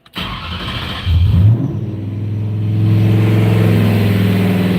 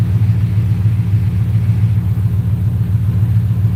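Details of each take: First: Rose with 4.6 Savage tune, at 195° operating temperature, idle being set down toward 700 rpm: engine catches, revs, then sags and dies; won't hold idle, likely throttle plate closed too far. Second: Rose with 4.6 Savage tune, warm, throttle plate reopened, IAC at 42: deep even V8 rumble at 850 rpm, smooth regular firing, AFR as expected; normal warm idle.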